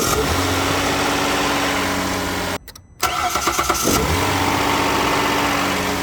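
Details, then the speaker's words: Hyundai HG 3.0 GDI with OEM iridium spark plugs, cold start after more than 8 hours sitting. The starter catches quickly and the engine settles to a steady, even idle; a normal, healthy cold start. "시동음의 차이가 있을까 하고 8시간 이상 냉간 상태에서 시동을 걸어서 시동음을 비교를 해봤습니다. 잘 들어보세요."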